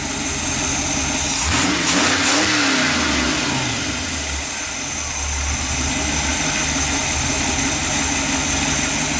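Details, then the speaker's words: 1966 Chevy running after wiring harness repair, headlights working, idle hunting slightly, not yet tuned; engine picks up cleanly on each blip and settles to a steady, even idle, sounding healthy — normal revving. "Alright. Seems pretty happy there."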